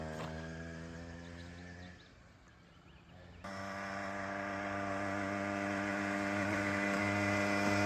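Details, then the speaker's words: 66cc two-stroke motorized bicycle with high-compression parts, first run after sitting three years: buzzy drone drops away, then picks back up and climbs steadily and evenly. Normal running. "He's fun. Well, I'm glad we got it up and running."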